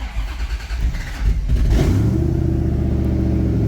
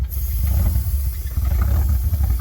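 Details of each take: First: Flood-totaled ZR1 Corvette V8 after engine repairs and a new cam-sensor o-ring that cleared code 31: the starter whirs briefly, the engine catches within two seconds and settles to a steady, even idle with no misses or knocks. Normal start. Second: ZR1 Corvette engine after flood repairs, first restart with new air filter: low idle lopes and surges unevenly, loudness rising and falling; rough running traced to an unhooked vacuum line.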